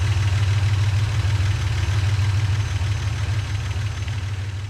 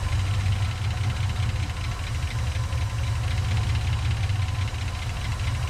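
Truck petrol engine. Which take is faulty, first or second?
second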